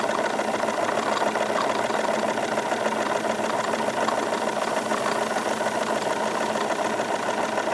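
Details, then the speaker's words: Wilesco D22 model steam engine running on stored steam after fire pulled, revs increased slightly: quick even beat under steady hiss, background gurgle of exhaust condensate, no knocks or vibration; normal smooth running. "nice just very very smooth operation increasing the revs a little bit I can feel effectively no vibration coming from this thing just lots of very very smooth operation"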